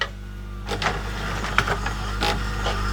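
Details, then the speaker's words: LG VCR after repair of the busted loading mechanism (gear realignment over about two hours), on eject: the motor whirs and gears click through the loading cycle in irregular mechanical clacks, completing eject without binding. "there we go oh my gosh after all this time it's finally finally working after 2 hours of messing around with alignment and gears and whatnot"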